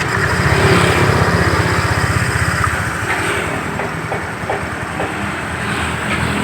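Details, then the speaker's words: Motorcycle engine whose oil had turned milky from radiator coolant getting in, now reassembled with fresh oil and a worn part replaced, runs at a steady, regular beat of about four per second with no knocking or rattles; it sounds smooth and normal. "anda perhatikan suaranya masih wajar-wajar saja ya"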